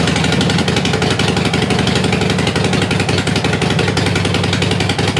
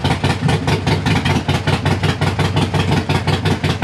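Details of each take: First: Harley-Davidson Sportster after 1900 miles in four days, warming up before gasket change: sharp rapid ticking and chuffing over lumpy V-twin idle, about three per second, "like a bag of spanners"; exhaust leak at leaking front exhaust gasket. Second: Harley-Davidson Sportster at idle after replacing the leaking front exhaust gasket (leak appeared after a 1900-mile, four-day trip), heat shield and O2 sensor refitted: still loud but much better, lumpy V-twin beat with no ticking or exhaust puffing; normal idle.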